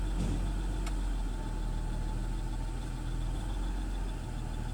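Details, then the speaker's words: BMW X6 with no related error code, heard at the tailpipe after the engine stabilizes: low idle with an uneven, lumpy beat, rpm dipping below 1000 to about 800 and going up and down; rough idle, mass air flow sensor suspected. "okay here she goes it's having rough idle you can see it right there you can see it going up and down right there"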